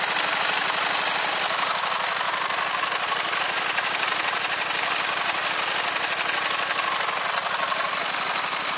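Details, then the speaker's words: Gravely 816 tractor rebuilt with Honda GX690 engine, running: loud, hard rattling hammer at about four beats a second from the slightly twisted PTO drive shaft; clutches also noisy; bent PTO shaft noise. "le souci que j'ai principalement c'est pas dans la c'est cet axe là qui est un peu vrillé pour ça que ça fait du bruit"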